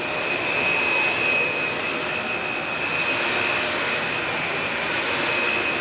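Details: Shark Navigator upright vacuum on carpet: constant high airy roar with steady whistle, no rattles or grinding; normal running.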